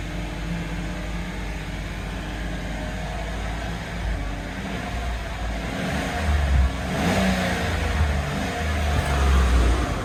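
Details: GMC Yukon just after a fuel-tank refit to repair a hole in the fuel feed line on top of the tank: a steady, low idle hum with a brief throttle blip that climbs and settles cleanly. No misses or knocks; normal idle.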